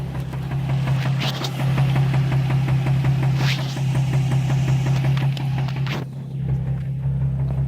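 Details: Nissan 350z petrol V6 with spun rod bearing: heavy steady knocking through the running note, grew from a minor tick to full rod knock.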